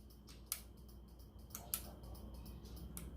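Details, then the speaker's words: 2002 Honda Magna VF750C turn signal switch after rebuild and tightening: light, crisp clicks through left, right and cancel, now cancelling easily with a firm detent instead of needing hard pressing; switch working normally. "I'm not really putting much effort into it. You hear the click, and that is what I was after."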